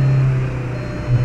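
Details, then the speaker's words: 2003 Jetta in gear at 3800-4000 rpm: deep steady drone swelling under load; vibration disappears when slipped into neutral or clutch pressed, returns in gear; driveline vibration duplicated, cause unconfirmed. "let's get it up get that vibration going and then just slip it into neutral and the vibration goes away and then put it back into gear and there's the vibration"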